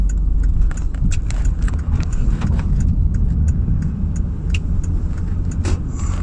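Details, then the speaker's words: 2008 Toyota Kluger/Highlander after a fix for a front strut/shock knocking noise, recorded from the same dashboard camera spot: steady road rumble over many bumps with only light ticks and no clunks. Knock gone, suspension quiet. "so we've been hitting heaps of bumps guys and we cannot hear any uh knocking noise"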